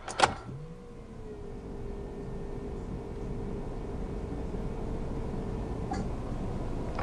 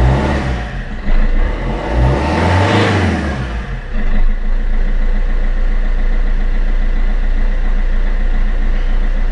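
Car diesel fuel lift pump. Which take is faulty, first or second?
first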